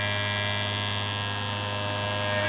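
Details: Maglev rotor motor (3D-printed rotor) after adding dry lube to the rotor shaft end and pulling the coil back: steady, clean electric hum with constant pitch, no rattle or whine, replacing the earlier racket; normal running.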